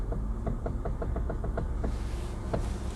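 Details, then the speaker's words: Manual car at an auction yard idling quietly: crisp regular clicks about five or six a second while the steering wheel turns; clicking when turning steering, a loose or unsecured rack suspected. "something's not happy in this steering wheel it feels like as you turn it it's like clicking"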